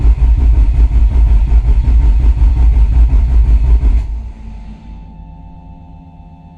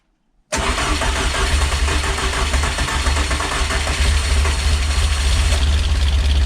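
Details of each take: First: Rebuilt Peugeot 205 GTi Mi16, coil disconnected, cranked on a fly lead until the oil light goes off before first start: steady, even starter churning with no firing or odd knocks. It won't crank on the key. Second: Peugeot 205 GTi Mi16 rebuilt engine, first fire-up on fly lead after priming oil pressure: catches into a rough idle with loud fast ticking on top; owner hopes the tappet noise clears with running, cause unconfirmed; valvetrain ticking.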